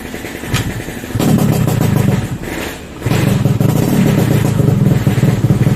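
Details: Yamaha RX-King two-stroke motorcycle serviced for rough engine noise: blips up and settles back with a clean crisp exhaust note, no rattle or roughness, sounding healthy.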